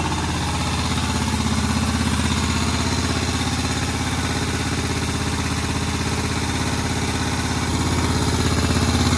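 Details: Moto Guzzi single shed find ticking over for the first time in about 40 years after head work, needing adjustment: steady, even slow thump a little over three beats a second, no knocks or misses. Healthy normal idle.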